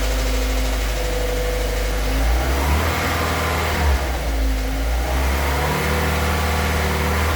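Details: 2006 VW Crossfox engine, idling and blipped: a dull knock in the low end that rises with revs; owner unsure whether lifter (tucho) or bearings (bronzinas), mechanics disagree, cause unconfirmed.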